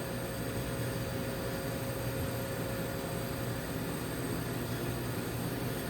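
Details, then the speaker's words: Gweikecloud laser cutter after removing its noisy internal back fan, laser running with air assist and AC Infinity inline extraction fan on: soft even airflow hiss over a low steady hum, no rattle or whine; very quiet, normal running. "So the fan, my AC Infinity fan is on. We'll see if it does anything to remove the smoke."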